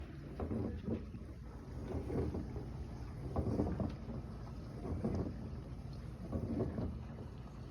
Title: Kitchen Aid dishwasher noisy when rinse